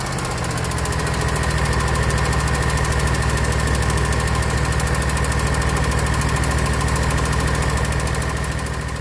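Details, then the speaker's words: Kawasaki FX691V on a 2021 Scag Patriot with 80.6 hours, before valve adjustment: a sharp, even tick at about 200 a minute over the idle hum. Cylinder 1 intake valve was found loose at 0.010 in; spec is 0.004–0.006 in cold. "uh you heard at the beginning of this video you know Kawasakis make a little noise but there's a little tick on this one something's up so I suspect one of these valves are loose"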